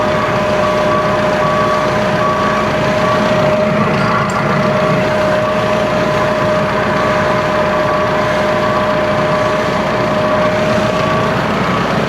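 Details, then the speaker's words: Komatsu forklift with new alternator, idling with battery positive disconnected: engine keeps running evenly with steady high whine, no stumble or dropout; alternator generating enough voltage, battery suspected damaged. "Como pueden observar, aquí está desconectado, no está alimentando y el equipo se mantiene encendido. ¿Por qué? Porque el el alternador está trabajando, está generando el suficiente voltaje para que el equipo se mantenga encendido."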